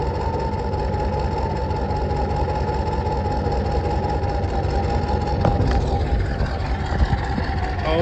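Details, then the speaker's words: 1986 Ford F250 6.9 turbo diesel, just started on ether after water-contaminated oil was changed; recorded at the tailpipe, no coolant, so only a short run. Deep, steady diesel clatter holding an even idle with no misses, knocks or surging; normal diesel idle. "cow she runs listen to it like i said though it ain't got cola so i can't run it for too long"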